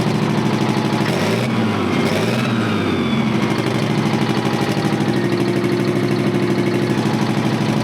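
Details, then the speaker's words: Terex 82-20 bulldozer diesel, sat 30 years, restarted with the turbo up pipes refitted and no longer spitting oil out the turbo. It settles into a steady, even chug with no miss or knock; normal running. "I mean, she sounds pretty good. >> It's not spitting oil out the turbo like it did before either."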